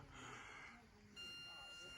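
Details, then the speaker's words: Starline S9 on Citroen Relay van, ignition switched on: steady high electronic beeping as the pin-to-drive immobiliser waits for its 4-digit code, which stops with two beeps once entered correctly; van had an unrelated existing fault. "This has also got pin to drive, which when you turn the ignition on, you'll hear that beeping. I've put a 4-digit code in."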